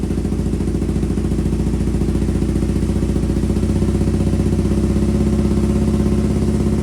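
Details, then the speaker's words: 2002 Aprilia RSV V-twin barn find, stored 8 years, first start on new fuel system after priming: rough lumpy thudding at fast idle with uneven beat, owner believes running on one cylinder before it cleared; cause unconfirmed. "it was running on one cylinder I gather cuz you could hear it just thudding away and I was like okay it's fired maybe it just needs a second and then bang out the exhaust"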